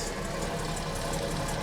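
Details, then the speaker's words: 1975 Jaguar XJ6 coupe (XJC, Series 2, US California spec), first run after sitting: steady idle with quiet tappets and healthy valve train, over-choking as water chokes warm up, oil pressure 60 psi, likely old fuel; normal idle. "it's very nice and quiet from the tappets. That sounds fantastic."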